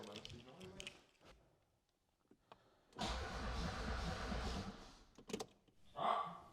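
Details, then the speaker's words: Audi 80 with injection meddled with, non-starter: about two seconds of cranking turning the engine over without catching; spark test during cranking shows no spark. "R: Right, let's try for spark again now U: Yeah U: And? R: Nothing R: There was no spark"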